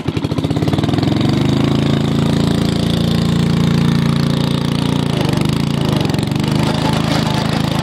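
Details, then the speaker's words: MTD 5 hp rototiller, first run in about ten years on seven-year-old fuel with new points and condenser: very loud, raw, blatting single-cylinder bark, slightly uneven, flames from exhaust when throttling down; muffler rusted and busted inside, replacement planned. "it is extremely loud as you can hear cuz the muffler is busted on the inside so I'm going to see if I can find another one for it"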